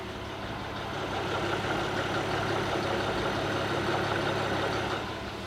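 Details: Audi A6 C4 2.6 (ABC engine) at idle: a light, regular tapping of roughly four a second over a fairly even hum. It is a strange engine knock of unknown origin.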